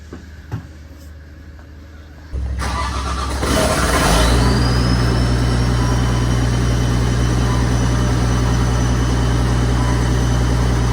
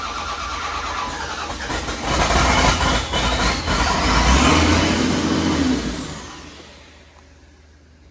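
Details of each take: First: Caterpillar 930G loader after reconnecting missed engine ground wires that blocked both ECMs and caused no-start, hung throttle pedal freed: starter cranks briefly, engine catches and settles to a steady even idle, no knocks or misses; normal start. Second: Cat 930G loader after reconnecting a missed engine ground wire that cut ECM communication: engine catches and climbs straight to a sustained high-rev full-throttle roar with no idle, caused by a hung throttle pedal.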